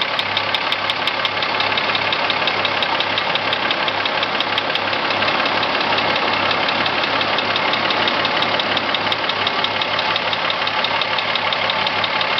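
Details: Corrado VR6 at idle: sharp, regular ticking knock about three per second over the engine; engine knock of unknown cause.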